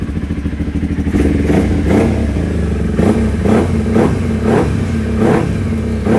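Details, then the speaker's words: Kawasaki Ninja 250 after carburetor repair: quick throttle blips rise cleanly and drop back to a steady idle with no stumble or hesitation. Acceleration is now smooth. "Dan setelah proses yang panjang, akhirnya kita menemukan untuk akselerasi yang pas."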